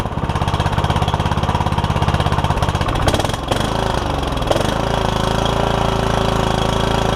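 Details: Troy Bilt Super Bronco lawn tractor with a Kohler Courage engine and a cracked block, first start after a battery and fuel were added and the hood removed. An uneven single-cylinder thump whose beat stumbles and changes pace; running rough, owner thinks it needs carb work.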